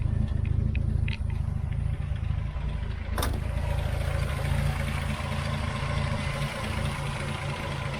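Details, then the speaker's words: 1978 Chevy Nova budget restoration after brake work and an oil change. A steady low idle rumble with an even pulse and no knocks or misses: a normal, healthy idle. "And it starts right up, sounds good."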